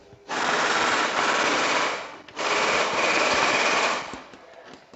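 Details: Diesel injector from a Chevrolet Colorado (Isuzu engine) with black smoke, rough idle and oil consumption, on a pop tester: two bursts of rapid hissy chattering, coarse thick stream, needle closing slowly; all four injectors and sleeves to be replaced.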